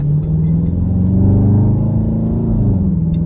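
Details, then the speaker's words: Dodge Charger RT after exhaust spring replacement: deep, smooth exhaust note rising and falling with a light throttle blip, no metallic rattle; the rattle previously heard at idle is gone. "Yeah, man. Man, no more rattle."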